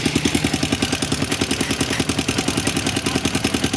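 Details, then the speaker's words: Sniper 150 motorcycle idling with fast metallic clatter; owner sure rocker arm and cam damaged from running out of oil, oil not reaching top end. "sigurado ito yung kanyang sakam ah rocker arm. Ah sira na kasi naubusan ng oil. So hindi na umakyat yung oil sa itaas."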